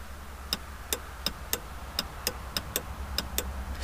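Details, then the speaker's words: Jeep Grand Cherokee sunroof with ignition on, fuse already checked: pressing the close switch gives the button click plus sharp dry relay clicks, two or three a second, with no motor hum after them; relay clicks but sunroof motor does not run. "mais on n'entend pas le rôle et se déclenche et à dire que quand je veux avancer quand j'appuie sur l'album pour fermer le toit ouvrant en tant qu' un petit clic il ya certes le clic du bouton m derrière une autre clic"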